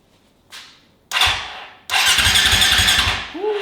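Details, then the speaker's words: KTM 525 XC dirt bike that has been sitting a while, known oil pan leak, after freeing dirt from the starter relay: quick, even, brisk starter cranking, not firing yet. Normal starter cranking. "turning pretty fast she might go bang bang on the first try"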